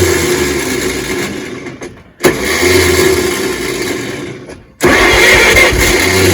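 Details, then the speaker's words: 1938 Chevrolet Master Deluxe sitting since the early 1970s: loud cranking bursts with short pauses that never catch. It wanted a lot of gas, and an open vacuum port was found, then plugged. "um well you know we were just trying to start this thing and I was noticing that it wanted a lot of gas and then you stopped cranking and I went oh this vacuum port's open"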